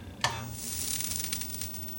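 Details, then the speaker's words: 25-inch K7000A arcade monitor chassis after replacing the horizontal width coil: sharp snap at switch-on, then soft fading hiss and crackle as high voltage comes up; normal CRT power-on, no smoke. "That's a great sound to hear. And I don't see any smoke yet."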